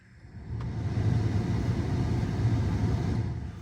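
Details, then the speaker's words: HVAC fan blower motor commanded via Topdon TopScan Bluetooth OBDII scanner actuation test, from 20 up to full: steady rush of air builds and holds evenly at full speed, no squeal or ticking; blower healthy. "let's see if we could do the the actual fan blower motor so let's go ahead and start at 20 let all the way up to"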